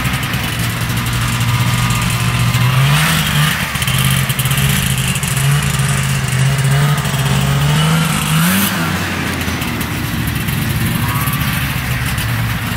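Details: Arctic Cat Panther 440cc two-stroke snowmobile, bought as no-spark non-runner, on test drive after fix: buzz climbs and falls with each throttle blip, picks up cleanly without misfire or stumble, still smoking; running normally.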